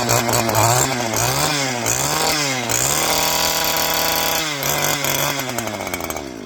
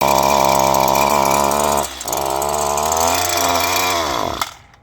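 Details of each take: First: Two-stroke string trimmer after removing its screen: revs up and down cleanly, pitch climbing and falling with the throttle without stumbling or cutting out; runs healthy. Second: Two-stroke string trimmer that stalls: high buzzing revs sag and drop, pick up briefly, then wind down and die; a clogged spark arrestor screen in the exhaust is choking it.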